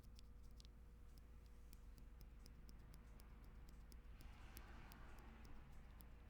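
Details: Lubed Tangerine MX-style linear switches on custom 8X MKII TKL keyboard: quiet irregular keystrokes, each with thin metallic tick on press; switch leaf tick, this switch especially bad.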